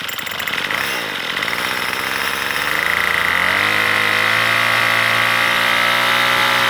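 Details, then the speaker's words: Troy Bilt two-stroke weed eater that was bogging down, carb already adjusted, still cold and warming up: high buzzy note wavers and surges early, then settles to a steadier pitch; rough running while cold. "Now you can see it's rough. It's still warming up."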